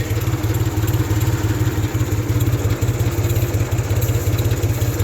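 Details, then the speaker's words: 1974 Ford 3000 gas three-cylinder tractor, 8-speed, revived after water in cylinders locked the engine; freed, new cylinders and muffler. Steady low, even chuffing idle with no knocks or misses; runs pretty good now, normal idle. "i didn't know if it was going to run the way it does but it does run pretty good now"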